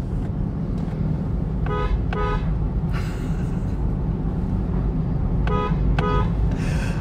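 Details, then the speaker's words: Newly bought Nissan Fairlady Z Nismo horn tested with a window slightly open: two quick pairs of loud, steady, bright horn blasts over low traffic rumble; strong, authoritative, healthy horn. "oke suaranya berwibawa"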